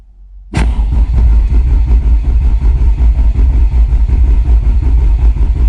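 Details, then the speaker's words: Peugeot 205 GTi Mi16 rebuilt engine, first start day, ignition coil disconnected, cranked on a fly lead to build oil pressure: steady even starter chugging with no misses until the oil light goes off; normal cranking. "Let's crank it. Let's crank it till the little red light goes off."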